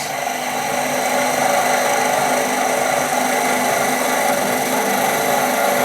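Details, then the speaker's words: Turning a honey dipper on the lathe with a skew chisel, light pass on the thin handle: buzzing, rasping cut with a fluttering edge; the thin stock vibrates and chatters. "we're getting a little bit of chatter there and again that's because we're getting that the thinness of the handle and it's kind of complaining on us a little bit"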